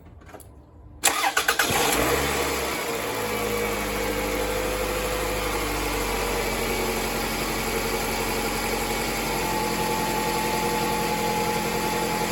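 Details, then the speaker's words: 2004 Toyota RAV4 2.4 L four-cylinder after replacing a failed water pump with shot bearings that caused a harmonic rattle: starts after short crank, steady even quiet idle, no rattle; repair fixed it. "well no more rattle sounds pretty good huh nice and quiet so uh that was the problem bearings and the uh water pump were shot"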